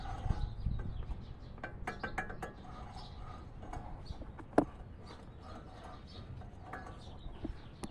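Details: Nissan Frontier/Pathfinder/Xterra (2005-2021) front hub turned by hand with the caliper removed, giving rough uneven clicking and a low gritty rumble; worn wheel bearing suspected, not confirmed.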